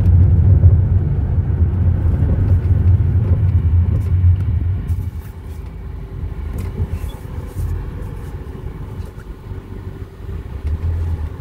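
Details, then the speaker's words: Vehicle driven after fixing a loose brake pad with play and repositioning a useless dust cover: only low road rumble and tyre noise, no cracking or clunks; brakes now quiet. "que ya no hace el movimiento pero es solo un cubridor de polvo ya no hace ruido"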